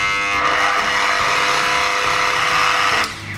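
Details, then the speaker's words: Mollar MG005 130 W mini grinder/rotary tool after repair: front bearing wrapped with paper tape, previously vibrating and slow; steady high even whine with no rattle, then winding down at switch-off, running normal and smoother. "Nah, sekarang setelah kita lapisi bearing yang di depan tadi dengan isolasi kertas, dia mesinnya jadi normal lagi, suaranya juga jadi lebih halus lagi."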